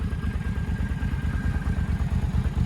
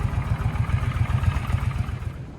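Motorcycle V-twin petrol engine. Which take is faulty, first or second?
second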